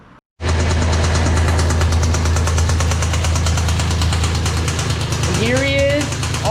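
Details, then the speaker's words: Mazda MX-3 V6 (Red Ted) running at low speed: heavy, rapid, regular knock under the engine note, a serious rod knock that took it off the road and is leading to a 2.5L KLZE V6 engine swap. "as you can hear it's got a serious rod knock and that is why i stopped driving it because i knew it needed an engine"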